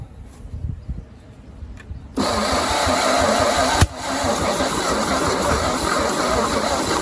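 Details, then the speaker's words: 1950 Chevy 3100 truck six-cylinder, sitting engine, starting fluid sprayed in: even starter churn for several seconds with one sharp pop, nearly fires but never catches; long cranking, no start, starter possibly overheated and no longer engaging. "I think she's cooked. All right, well, we're gonna let it cool off a little bit, that starter. We might have just cooked the starter because I can't get it to engage at all."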